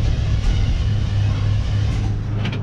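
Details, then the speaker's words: 1970 Chevy K10 barn find, crate 350 V8 with automatic, unstarted for 21 years, fuel poured into the carb; deep V8 rumble catches but won't keep running or settle to idle, starved of fuel. "She don't want to stay running just yet. Let's give her some more juice."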